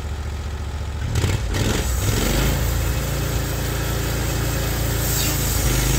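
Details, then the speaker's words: Norwood HD36 v2 bandsaw mill with new roller guides replacing ceramics, cutting big black oak through the bark: engine picks up and holds a steady even note under load, no chatter or labouring; cut exceptionally smooth, normal. "you can tell by the way it sounded you can tell by how smooth this is that not only did it cut great it cut exceptional"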